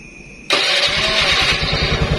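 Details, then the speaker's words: Carburetted Honda Beat scooter after a safety kill switch was wired into the pulser line. With the switch off, the starter spins briefly and the engine catches at once into a steady, even idle: normal start. "motor hidup normal sekarang Coba kita apa hidupkan saklar yang ini nih kita tekan ke posisi on"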